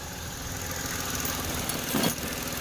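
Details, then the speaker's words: Mitsubishi Mirage small four-cylinder restarted after shutdown following spark plug replacement; the old plug had turned powdery. Quiet, steady idle without stumbling or misfire; normal idle, fixed. Plugs due every 20,000–30,000 km. "Ayan normal na siya bumalik siya sa dati. So madaling sabi spark plug lang ang naging problema niya."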